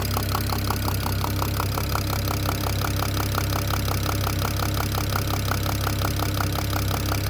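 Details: BMW E92 335i (N54 engine) at steady idle with a sharp, regular tick-knock a bit over once a second; the owner suspects the top end but is unsure, and the cause is unknown.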